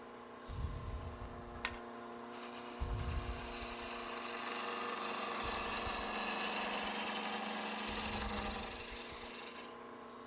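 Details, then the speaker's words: Wood lathe turning a slender French rolling pin with skew and spindle gouge: over the lathe hum and tool scraping, a high buzzing harmonic chatter comes and goes as the workpiece vibrates; a hand on the piece quells it. "you all know that sound don't you that the vibration there harmonic thing you can quickly Quil that by just putting a hand on it"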